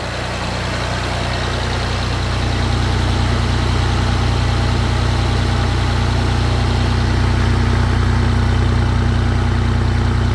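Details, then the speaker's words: 1989 Toyota Land Cruiser FJ62 3FE inline-six, first start after desmog/EGR delete; even low idle hum swelling slightly with throttle, steady beat, no misfires, engine now breathes better, normal idle. "feels a little more peppy already just hitting the uh the gas pedal here. I can kind of hear the the air moving whereas before I couldn't, you know, it was just felt like it was stopped up or something. But now it feels like it can breathe."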